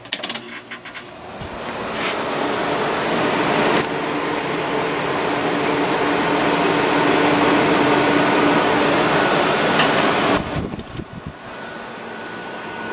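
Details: 5000 BTU Whirlpool window air conditioner with rotary compressor, rated 4.96 amps, on turbo cool then dropped to low; steady even fan rush with smooth compressor hum, drawing about 3.9 amps, 433 W, healthy and efficient.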